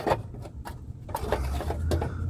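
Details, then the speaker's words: 2007 Toyota Tundra with heavily rusted underside: irregular tinny rattles in short bursts, heard while driving; owner suspects a loose heat shield hitting the pipe, not confirmed. "That's probably all the rattling I'm hearing. Yeah, I'm hearing a bunch of rattling noise when I'm driving and uh"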